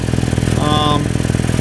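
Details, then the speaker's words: Car running at idle on ramps with a loud exhaust leak: a sharp, rapid, raspy puffing tick on every exhaust pulse, from a leak at a flange joint that is felt for. "Alright, so we're going to expect the exhaust. I've got it with car running and you can hear it leaking quite badly."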